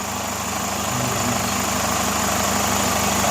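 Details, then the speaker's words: Chevrolet Captiva idling during a noise comparison, averaging 72 decibels. Steady, even hum with a light fast patter and no knocks, ticks or misses; the engine is idling normally. "Average 72 decibel. Yang SL bukan katanya gitu. Yang NFL. Membandingkan suaranya mesinnya halus mana."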